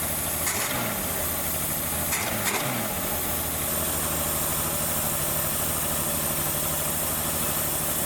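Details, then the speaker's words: Ford Maverick V8, seized 26 years and just revived, running cold with bluish oil smoke; steady but fast high idle, blamed on a vacuum leak at the carburetor base plate. "true i believe the base plate had the vacuum leak so it's not helping anything"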